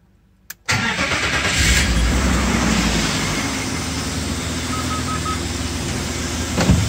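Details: BMW E34 M50, just after an oil change to Castrol 5W-40, engine still warm after a drive five hours earlier, air temperature above zero: cranks and settles into smooth even idle with no top-end ticking; hydraulic lifters quiet.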